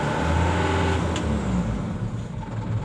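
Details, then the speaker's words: Canter diesel truck in 3rd gear with the right rear wheel lifted and the exhaust brake switched on: a choked, muffled exhaust note with a deeper labouring tone. The exhaust brake works despite a leaking wheel brake cylinder. "Oke, ya terdengar. Masih bisa berfungsi."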